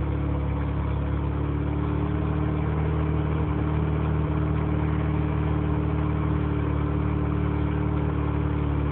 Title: 20B rx7 rough idle